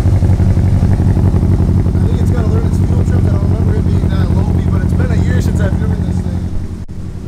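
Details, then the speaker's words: Modified 700 hp Evo: loud uneven idle pulsing about four beats a second with a lumpy, stumbling rhythm; misfire because one fuel injector was left unplugged, a simple mistake. "I figured out why it was kind of really low P like that got to plug one of the injectors in simple mistake it happens"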